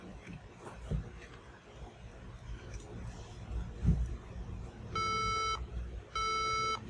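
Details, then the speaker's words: HP laptop at power-on: evenly pitched electronic beeps in repeating 3-beep pattern (three long, two short mentioned), preventing boot to Windows; battery discharge didn't help, malfunctioning RAM suspected, RAM reseating next. "like I said that a malfunctioning Ram could also result to this beeping sound when we are trying to to boot to Windows"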